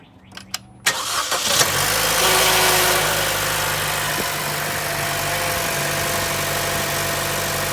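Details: 2013 Chevy Cruze, 46,256 miles, cold start after an oil change: loud brief rattle for the first couple of seconds, then smooth idle; caused by an oil filter without an anti-drain-back valve, fixed by fitting a filter with one.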